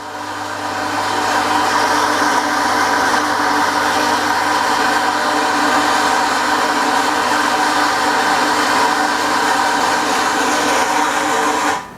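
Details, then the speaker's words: Shimizu SPG20-311K BIT submersible pump with APC dry-run protection: rough rushing motor hum as water runs out, then abrupt cut-out as APC senses no flow and switches pump off; dry running. "Nah, ini air sudah mulai habis di sini, kawan-kawan. Terdengar bunyinya agak kasar ya. Itu artinya, nah lihat. Ini pompa kekeringan sekarang."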